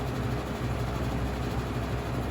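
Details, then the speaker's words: 1985-86 Lasko Super 3713 20-inch box fan, 3-speed shaded-pole 6-pole motor, before restoration: steady low hum, motor turning slowly, whine pronounced at low speed, with rattling of unknown origin. "so it runs but it's running kind of slow"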